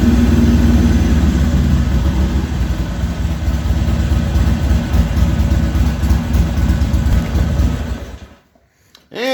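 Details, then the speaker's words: Harley-Davidson XR1200 V-twin, hot restart after idle trim reset: fires up and hangs over 2,000 rpm at 98 IAC steps, won't drop until throttle blipped; reset fixed nothing, throttle position sensor suspected bad. "as you just heard that fixed absolutely nothing went right up to over 2,000 RPMs 98 steps on there and would not come down till I blipped the throttle"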